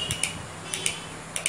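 Crisp, sharp clicks, mostly in close pairs, each time the coil is switched; the relay is pulling in and releasing normally.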